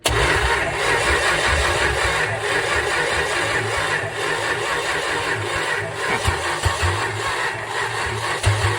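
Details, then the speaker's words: 1963 Dodge Dart 270 convertible with a swapped-in 360 V8, off the road 21 years, after tightening a loose carburetor: the engine catches with a rough, uneven rumble and settles into a steady idle. Normal running. "Nice. Rousing success. As expected, it's gonna be a runner."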